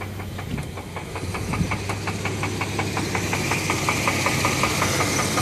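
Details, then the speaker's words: Knocking at idle on a 1996 Chevy Blazer LS with 4.3 engine, started after a 100-mile drive: sharp, regular knocks about three a second over steady idle when parked, not heard while driving; source unknown. "ally too sure where that noise is coming from but whenever they engine keeps up I don't hear it when I Drive"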